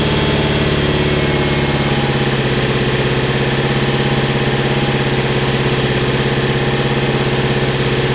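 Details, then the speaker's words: Mitsubishi Evo 8 MR after an engine swap, idling before its first drive: even, steady idle with a smooth regular pulse and no knocks, ticks or misses; no leaks, engine healthy. "so here she is boys no leaks runs good Idol"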